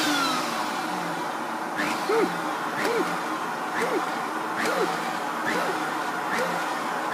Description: Spluttering Hoover with intermittent failure to start